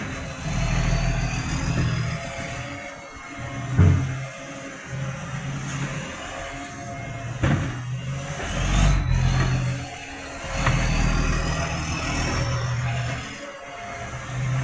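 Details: Tweed garbage truck 3218 with a massive exhaust leak: a deep diesel rumble that rises and falls with each rev, with a raspy, overly loud bark.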